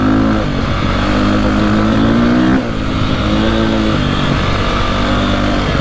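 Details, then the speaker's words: 2002 KTM 400 EXC single after carburetor jetting fix revs cleanly and evenly, hitting rev limiter at the right time, with slight hesitation pulling away and faint backfiring; owner considers going up a jet size. "sounds a lot better you can hear it hitting the rev limiter at the right time unlike last time"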